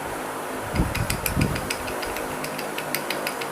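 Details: 2013 Honda Civic: loose, uneven rattle of sharp clicks from the accessory belt area over a quiet engine, occurring with A/C on; cause a poor-quality belt tensioner under a month old, replaced.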